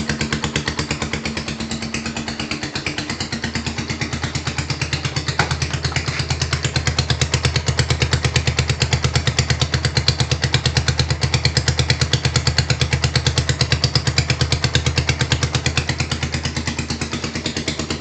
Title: Knocking sound rouser 220.... Help!